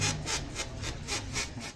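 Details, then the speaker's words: Motorcycle suspension: sharp rasping squeaks about four times a second with each press of the bike, caused by an over-tightened foundation bush nut. "देखिए तो य समस्या य यहां पर दिखाओ तो दोस्तों देखिए यह जो फाउंडेशन का नाट है यह ज्यादा टाइट हो गया है उसी की वजह से यह आवा"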